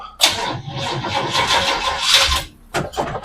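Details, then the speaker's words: 1926 Oakland sedan being started to move it; starter grinds over in a laboured, uneven rhythm that sags and pauses between attempts, owner suspects the battery is getting weak: slow cranking. "sounds like my battery's getting a little weak"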